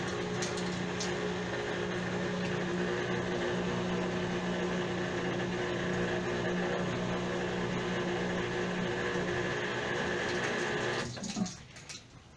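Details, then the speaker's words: Whirlpool washing machine in the spin cycle: loud, steady droning with a hard-edged hum, unlike transmission bearing noise, caused by a foreign object found inside the basket. "notamos que si tiene ruido fuerte pero es un ruido diferente al que producen los rodamientos de la transmisión vamos a tener que desarmarla para buscar dentro del tanque porque parece que algo estuviera dentro produciendo ese ruido"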